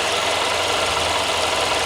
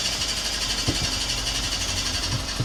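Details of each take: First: 2014 Audi A1 1.4 TFSI after replacing the gearbox and clutch. A bent metal bracket under the gearbox had rubbed the clutch and was bent clear. Now an even, steady idle with no rubbing, scraping or rattle. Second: 2014 Audi A1 1.4 TFSI S line after gearbox and new clutch fitted, cold start on stands: uneven scraping tick about once a second over idle, found to be a bent bracket rubbing the clutch; noise gone after fixing.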